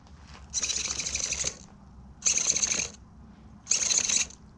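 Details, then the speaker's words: Savox steering servo on a modded .32 RC vehicle gives three crisp, high-pitched whirrs with no humming, buzzing or glitching between them, so the servo is working smoothly and quietly. "quiet quiet quiet quiet quiet listen no humming no dinging zinging glitching none of that crap savvo servos are great servos guys"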